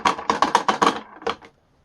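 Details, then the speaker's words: E-flite Extra 300 RC airplane landing gear: quick, sharp, uneven plastic clacks of a wheel rattling loosely on its axle, very noisy in flight, before the quieting fix. "When we made and flew it last weekend, it was noisy. I'm talking noisy."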